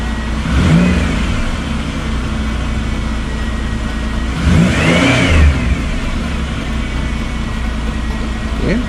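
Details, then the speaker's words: 2000 Chevy Impala, 103,000 miles, just after a new AC Delco fuel pump replacement, with fuel pressure correct. Two clean blips from idle rise and settle smoothly with no knock or whine, quiet: normal revving. "sounds good nice and quiet pressure is right"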